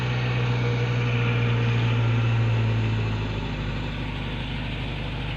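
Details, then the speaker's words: Suzuki Cultus 2012 EFI, first cold morning start after valve stem seal replacement for white smoke on cold start: smooth, even hum with a high auto-choke cold idle settling down after a few seconds, no misses or knocks, and no smoke now. "इसका मतलब ये है कि अब हमने सुबह first time start किया है, काम कराने के बाद किसी किस्म का कोई धुआं वगैरह या कोई स्मोक नज़र नहीं आ रहा है हमें।"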